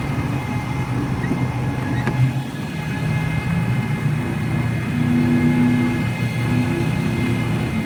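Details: 2013 Ford F-350 diesel at warm idle: loud steady high whine at constant pitch over the engine, only occurs when warm; source unidentified after visits to 7-8 Ford dealers.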